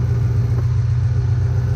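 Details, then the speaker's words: 2005 Ford Mustang GT V8, a Copart rebuild, started on a mid-90s day to warm up, check engine light on with code P0197: steady even low rumble, no knocks, misses or ticking; engine sounds good, though the fan doesn't come on when warm. "engine sounds good but when he gets warmed up the fan doesn't come on that's where we're running into problems"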